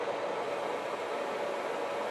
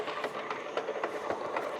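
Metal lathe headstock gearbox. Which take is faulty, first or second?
second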